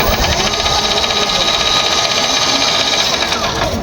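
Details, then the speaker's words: Nearly new e-bike/e-trike, loud harsh mechanical whine and rattling clatter from the drive, still noisy on the second attempt; the gearbox is loose inside and needs teardown. "Ito mga kaibike first attempt ' ba ang ingay ng makina second attempt na ganun pa din natunog"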